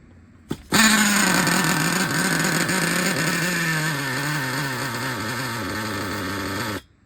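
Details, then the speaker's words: Used Traxxas Revo 3.3 nitro engine, very tight, with its glow plug loosened: high buzzy tone whose pitch keeps wandering and sagging instead of holding steady. "there it goes okay okay that sounds all screwed"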